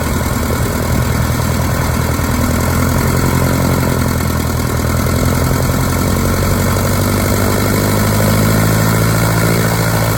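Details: 1946 Piper J-3 Cub light aircraft, first start of its new engine, last run three years ago on a test stand; low, steady idle firing even and unhurried with no knocks or misses, normal idle.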